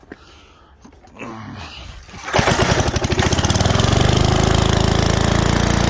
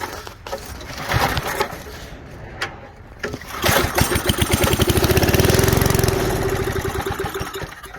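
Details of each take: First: 1978 Billy Goat Winro leaf blower, 5 hp Briggs points engine found in trash, starts after a few pulls and settles into a steady, even chug with no misses on very little oil; runs normally, carburetor and points cleaning possibly next. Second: 1978 Billy Goat Winro leaf blower, 5 hp Briggs points engine found in trash, low old oil, fed starter fluid; uneven pull-cord bursts then a brief sputtering catch that swells and fades out, cranking but failing to keep running.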